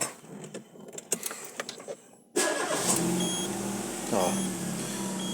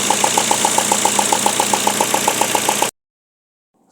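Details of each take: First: Peugeot whose loud "tac tac" knock came only from loose spark plugs, after retightening to 2.5 torque: starter cranks briefly, then the engine settles into an even, quiet idle with no knocking. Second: Peugeot engine, sharp regular ticking about four times a second over steady idle, loud "tac tac" from one corner; cause was loose spark plugs, fixed by tightening to specified torque, after which idle is silent.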